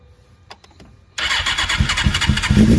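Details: Carbureted Suzuki GSX-R 600 SRAD that sat for years, with good compression, mileage unknown and oil level uncertain: clicks, then it barks to life on starting fluid and revs roughly, with no knock or valve tick heard.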